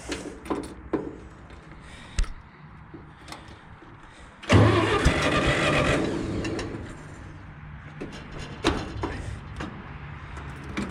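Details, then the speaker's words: Hobby farm tractor with carburetor, started the day after a fire: loud bark on cold start, then uneven lumpy beat stumbling irregularly, smoking badly; owner thinks it runs on three cylinders, cause unconfirmed, rough running. "yeah like 20 run it on three cylinder smokes badly but yeah so it's running and I'm running good but it's running and no more fires today"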